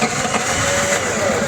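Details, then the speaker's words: Opel Vectra 1.6 with hard starting and low pulling power, plugs and plug wires newly replaced: catches and runs rough after cranking with an uneven stumble, then settles; mechanic suspects low compression, spark present. "Bu arabada tekleme var. Geç çalışma var. Sorunu çözülmemiş."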